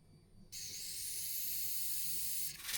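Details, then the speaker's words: AEM methanol injection kit on a forged Astra VXR, test mode with water in the tank: after the air purges, half a second of quiet, then a steady, even high-pitched hiss starts and holds as the nozzle sprays properly. "Whoa! Yeah, there she goes! That's mad."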